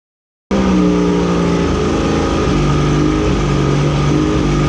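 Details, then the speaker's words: 1985 Mercury outboard after carb rebuild, mixture screws set a bit over a turn and a half: fairly steady fast idle whose note wavers and drops out, a slight miss; owner suspects long storage or something not firing right, not confirmed. "So you could hear that little bit of miss in the motor, so I want to get that figured out."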